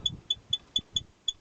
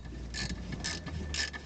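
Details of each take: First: Toyota Probox/Succeed: sharp high chirping squeaks, about four a second, as the handbrake cable is worked back and forth, caused by a worn bushing, a known problem of these cars. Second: Toyota Probox/Succeed after repair: handbrake ratchet clicking in quick bursts with no squeak; squeak was caused by a worn cable bushing rubbing metal on metal, replaced with a homemade bushing.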